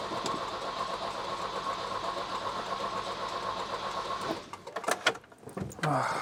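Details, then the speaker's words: Volvo 240 after distributor cleaning: about four seconds of steady, even cranking that never catches or fires, then drops off. "No, no, still not going, still not going. I'm going to check the spark at the plug now, in case I didn't have to might have taken too much material off."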